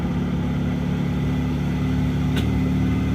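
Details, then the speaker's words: Mahindra Supro diesel at idle: steady low drone with an uneven, rough rattle riding on it. Abnormal engine noise; speaker suspects the injectors or injector pressure system and plans to remove the injectors. "ना ज्यादातर क्या होता है ना वो injector से होता है और जो मतलब खाने का मतलब ये है जो सिस्टम है ना इंजेक्टर का प्रेशर सिस्टम है ये सही तरीके से कम नहीं करेगा वो जाकर ऐसा प्रॉब्लम ए जाति है"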